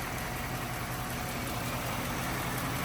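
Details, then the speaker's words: 1953 Packard Clipper, 288ci straight-eight with two-speed automatic, idling: soft, even idle with a faint steady patter of the spark plugs firing under some hiss, no knocks or misses; quiet, healthy engine. "can hear the spark plugs firing it's just a time capsule guys"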